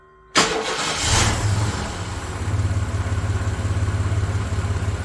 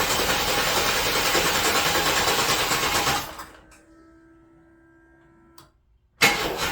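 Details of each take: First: 1993 S10 Blazer after engine swap, EGR pulled after rough running, low on coolant: cranks and catches at once, settles into even steady idle, no tapping or knock; 55 psi oil pressure. Normal start and idle. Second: 1993 S10 Blazer, first start after engine swap, battery on 12 amp charge: engine spins over evenly about three beats a second, stops, cranks again, never fires; distributor found 180 degrees out. Crank no start.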